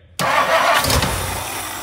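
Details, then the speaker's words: 1959 Lincoln with a new ignition switch: the starter spins the engine steadily for a couple of seconds, never fires; crank no-start, the weak fuel pump should have primed by now, so a dead pump or a stuck float or needle and seat is suspected. "it should have been primed by now yeah there's no way so my curiosity points to is there fuel or do we have a stuck float that's stuck up or a stuck need and seat that's stuck in in"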